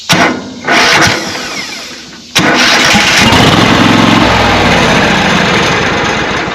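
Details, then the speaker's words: Riding mower that intermittently only clicks when starting. The meter was on the starter's small spade terminal with the key turned to start and read about 9.5 volts. A couple of clicks, cranking, then the engine catches and runs steadily. Normal crank and start. "and I had roughly 9 and 1/2 volts so but of course that time it started"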